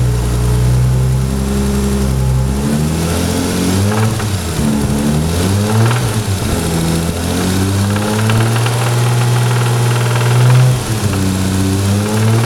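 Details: Toyota Supra engine idling and blipped repeatedly, revs rising and falling smoothly with a deep knock under the revs pointing to a worn rod bearing—rod knock.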